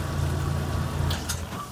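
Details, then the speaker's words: Kenmore washer that would not spin or drain, after a zip-tie fix of a suspected bad lid switch: a low steady drum hum spinning up evenly then easing off, with no knocking or grinding; the spin cycle works normally. "yeah, it's spinning. So we got it. So that was actually a pretty quick and easy cure, just using a zip tie."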